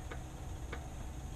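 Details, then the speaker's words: 2005 Honda Odyssey with vibration under acceleration at 60–70 mph: three light clicks, about one every 0.6 seconds, as the CV axle shaft is rocked up and down by hand, showing play in a worn inner CV joint. "in and out but up and down I'm not sure if you can hear that or see that but there is some up and down movement there now some is actually normal you're going to have a little bit of play anyway but an excessive amount will cause a vibration under acceleration"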